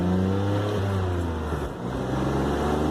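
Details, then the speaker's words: E46 BMW 325xi with cold weather package, driving after a CCV valve replacement; under acceleration a loud, raspy drone appears as an exhaust leak suddenly develops. "I can hear the exhaust leaking pretty good now all of a sudden that's wonderful"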